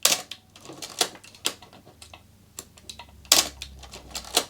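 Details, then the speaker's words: Canon AE-1 Program after lubricating the shutter to cure its squeak/cough, fired repeatedly at different shutter speeds; crisp, clean snaps with light ratcheting and no squeak left; normal shutter operation. "It took some time, but now it sounds absolutely amazing."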